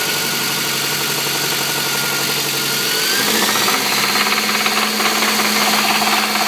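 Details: Toyota 22RE truck petrol engine running with a rhythmic knock of about three a second that continues as revs rise; cause unknown.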